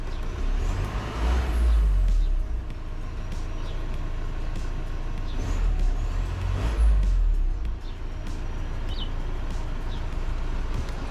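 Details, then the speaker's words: 2015 VW Crafter 2.0 TDI diesel idling after a turbo cleaner treatment: steady, even idle with a low, smooth rumble and no knocks or hunting; engine running cleanly. "all sounding nice and smooth"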